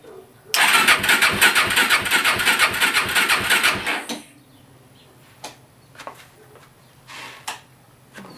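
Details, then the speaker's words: Suzuki LT-R 450 quad, starter churning about three beats a second for three seconds without catching; mechanic believes CDI is fried since only one spark appears, coil tested and cleaned; no start. "i believe the cdi is bad because no matter what i do i can only get one spark and that usually means a fried cdi"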